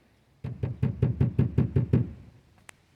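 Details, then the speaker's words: 2002 Grand Marquis rear package tray knocked by hand after Killmat sound deadener install: eight dull low thuds, about three a second, no tinny ring or rattle; well damped, sounding much better, though nearby wires still make slight noise. "Sounding a lot better. Some of these, it doesn't help, you know, some of these wires and stuff, you know, are always going to make a little bit of noise."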